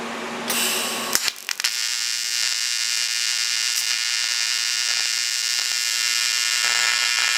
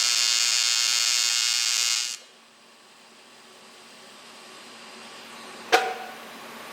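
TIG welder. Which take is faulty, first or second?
first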